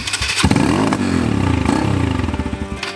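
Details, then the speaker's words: 2009 Honda CRF150F dirt bike after restoration with new piston and machine shop work, first run heard; starts at once, revs and settles into a crisp even beat about four pulses a second, music behind; sounds better than ever, healthy. "does it sound to you sounds better than it did ever like a dirt bike with a new piston"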